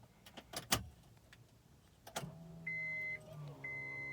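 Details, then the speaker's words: 1999 Acura Integra GSR, key turned on after a new fuel pump was installed: key clicks, then a low steady hum that holds under two dash chimes; normal fuel pump priming after replacing the failed pump. "Oh yeah, the fuel pump turned on. Let's see what's going on now."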